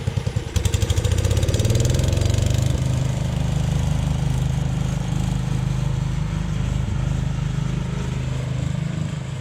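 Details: Jacobsen Chief 1000 tractor with a Kohler K241 engine, after new fuel line, a fuel pump check and freeing a stuck carburetor float needle: the engine catches and settles into a steady, even low thumping run with no misses or surging.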